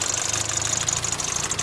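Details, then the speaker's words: Mitsubishi Galant VR4 at warm idle, louder than a comparison Eclipse: a fast, sharp clatter that goes away when revved. Owner worries the valves are too clacky; cause unknown, and the O2 sensor is also not cycling. "It's noticeably making sound, you know? It sounds pretty bad. I may want to, but when I rev it, it's fine though. Yeah, that's pretty loud. I don't think that's good,"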